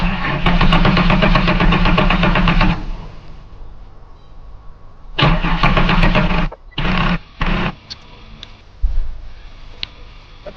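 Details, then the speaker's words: Holden VX Commodore 3.8L V6, sat 8 years, cranking after fuel tank removal and new fuel pump fitted, some fuel in tank: repeated steady starter cranking about 2.5 turns a second, never fires; owner unsure if system self-bleeds or fuel is too low. "don't know if it's going to bleed, if it's self bleeding or if I don't have enough fuel. I'll get a bit more fuel and put it in."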